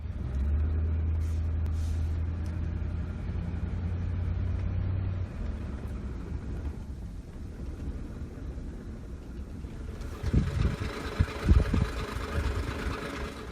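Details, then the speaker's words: 2008 Ford F-150 5.4L 3V Triton on a road test: oil pressure loss causes erratic VCT, putting cam timing way off; the idle sags, misfires and shakes with clunks near stalling. "going nuts right now misfiring shaking like crazy you can see our timing is way off"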